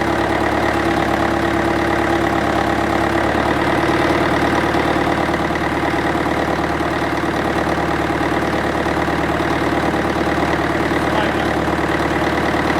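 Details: International 554 diesel tractor, not run for about 5 years, restarted, owner suspects a blocked filter: even, steady diesel chug at idle with no knocks or misses; the engine runs normally.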